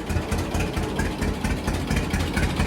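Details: John Deere D two-cylinder tractor idling after spark plugs regapped to 0.030 in: steady low even putt-putt, regular firing pulses, no missing, no backfires; normal idle.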